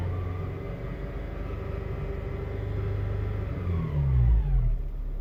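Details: 2007 Honda Civic Si: a thin whine over the low engine rumble that slides down in pitch as revs drop. The transmission or clutch is suspected; the cause is not confirmed.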